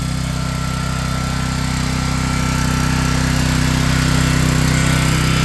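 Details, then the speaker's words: Home standby generator warming up with choke retracted, no load; steady even hum at constant speed, no surging, misses or knocks; normal no-load running. "So, right now, we're giving this machine an opportunity to warm up a little bit and be ready."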